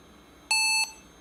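One short high-pitched beep at power-on, about a third of a second, before setup; warning for a dead CMOS battery.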